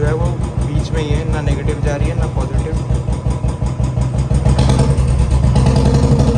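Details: 2018 Royal Enfield Bullet Standard 350 BS4, kick-started after sitting several days with a battery-drain problem: deep, even single-cylinder thump at steady idle, about three beats a second, no knocks or misses; healthy warm-up idle.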